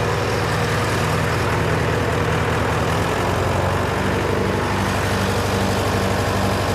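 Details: John Deere 401C diesel idling in neutral, with a cracked block and suspected liner O-ring leaks. Heavy idle with an uneven beat, about two stumbles a second. By touch, cylinders 1–3 are hot but 4 is stone cold: a dead cylinder from a faulty injector.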